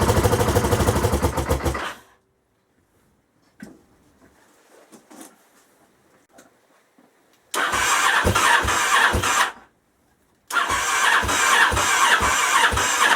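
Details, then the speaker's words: Honda XL1000 Varadero V-twin at first start after work, radiator hot: it fires and settles into an uneven idle with a sharp puffing chuff on each pulse. Exhaust leak blowing past a loose clamp, already known and still to be fixed. "ah uh yeah i'm definitely going to need to sort that exhaust out and the oil level is just below the top mark"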